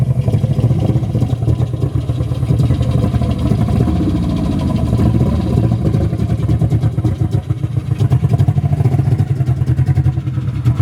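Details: Nissan SR20 in a 240 on first start after engine install, open downpipe: loud, raw idle with an uneven, stumbling beat and dropped pulses; a cylinder misfiring, cause unconfirmed.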